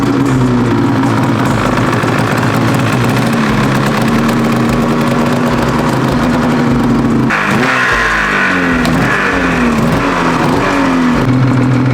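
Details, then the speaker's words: Two-stroke snowmobile revs crisply, pitch swinging quickly with each throttle blip, no misfire, after fitting V-Force 3 carbon reeds, boots and carbs; oil finally burned out of the bottom end; strong power, good throttle response, running normally. "This thing actually runs really, really good. I'm surprised. It's got plenty of power, and I mean, it's got really good throttle response. It runs like it should."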